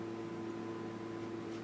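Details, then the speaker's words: Fender 300PS valve amplifier (700 V B+), test signal on input: steady mid-pitched hum heard even at low volume, not from the speaker; owner suspects the transformer is singing, source unconfirmed. "you can hear it it sounds rather horrible the speaker down a bit oh that is not the speakers the yikes what is making the sound with the transformed probably"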